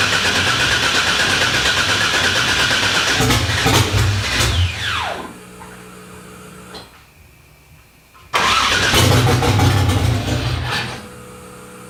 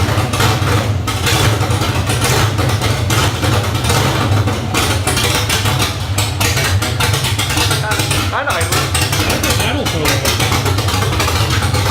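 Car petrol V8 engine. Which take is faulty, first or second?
first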